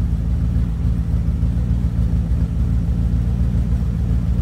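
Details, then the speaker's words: 1987 Dodge D100 V8 idle after new fuel pump, V-belts and vacuum line delete; low deep steady rumble, even beat, no ticking or squeal, sounds better though owner says it still needs a little tuning. "sounds like it's running a little bit better still need to do a little tuning on it i think to get it to get just right but it sounded a lot better"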